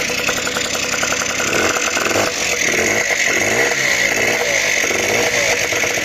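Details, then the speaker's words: Honda NH80 Vision two-stroke scooter, first start after restoration: crisp, buzzy idle that climbs smoothly when revved and settles back evenly, no knocks or stumbles. Running nicely with the oil pump working. "right as you can hear she's running nicely and the best part is the oil pumps working so that's good"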